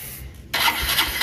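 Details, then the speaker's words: Honda Dream Neo 110 single-cylinder motorcycle previously hard to start, test run with air filter box removed: fires on the first start and settles into steady even idle, indicating a dirty air filter needing replacement. "miren como pueden observar la motocicleta prendió a la primera sin la sin la caja filtro prendió de una"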